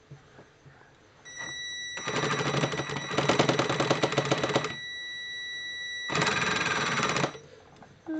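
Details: Tamiya King Tiger 1/16 RC tank, left gearbox: two bursts of high motor whine with a rough, uneven rattling grind, slipping under load; gearbox grinding noise.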